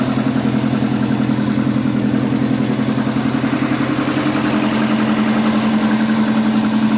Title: Ej205 2016г 207т.км течь масла и стук на холодную